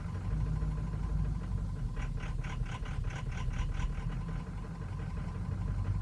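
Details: 2003 Ford Excursion 6.0L Powerstroke diesel, suddenly running poorly over two days: low uneven idle with a brief patch of sharper pulses midway; stumbling idle worsens as it warms, may stall, hard hot restarts, starts well cold; cause unknown.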